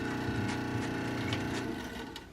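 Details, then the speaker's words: Toshiba SD-2800 DVD/CD player playing a CD: rough, rattly whir under stuttering playback that fades out; disc slipping and grinding because the spindle isn't clamping it properly. "oh sounded absolutely terrible did it destroy the CD no well I heard a little bit of music kind of stuttery"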